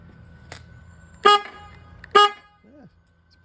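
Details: 2021 Harley-Davidson Heritage with a generic aftermarket low-tone horn temporarily clipped to the harness, dangling: two short, steady low-pitched blasts about a third of a second each, clean and strong; working normally.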